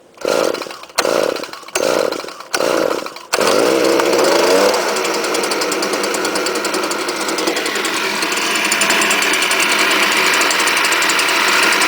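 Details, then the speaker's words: Cold start of a strato-charged commercial blower with semi-automatic choke, given three primes and run on 89 octane with Stihl oil. Choked bursts, then a stumbling, uneven run; owner suspects the spark arrestor screen is causing trouble again: rough running. "I think I need to get rid of that spark arresttor screen. I think it's causing a trouble again like last time."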